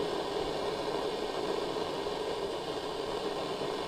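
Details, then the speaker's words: Roberts RP28 radio on medium wave giving only a steady even hiss with no station or carrier; medium and long wave dead, and the local oscillator on MW and LW is suspected not to be running. "the issue is I have no medium wave and long wave so if I got a medium wave you can hear RF noise"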